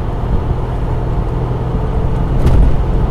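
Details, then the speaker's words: 1986 Alfa Romeo 75 V6 barn find, 5-speed, in fourth at 40 mph with throttle floored: deep engine drone swelling steadily, very smooth pickup, no hesitation or stutter; normal acceleration. "fourth doing 40 m hour put my foot down it's very smooth it picks up nicely there's no hesitation there's no"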